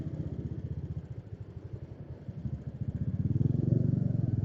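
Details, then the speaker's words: Honda Karisma single-cylinder about a month after full engine restoration: busy uneven clatter over each firing thump at idle, noisy cam chain rattle; owner fears slack cam chain jumping its track. "Berisiknya tuh berisik dari renteteng."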